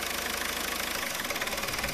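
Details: Diesel at slightly raised RPM after reconnecting loose harness connector between alternator output and battery, now charging 14 volts: fast even pulsing with hiss on top, no irregular knock; runs normally.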